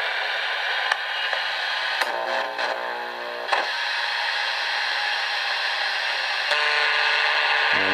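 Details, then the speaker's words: Older plasma TV in the radio shack, just switched on, radiating RFI: constant hiss with buzzy pulsing edge about four beats a second; much noise, worse lower on the AM broadcast band. "can see that's quite a bit of noise the lower you get on the broadcast thing it's even [Applause] worse"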